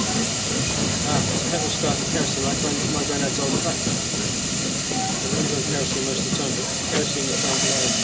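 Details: Stanley steam car kerosene burner lit after a petrol preheat: smooth, constant roaring hiss with no sputter or pulsing; burning cleanly.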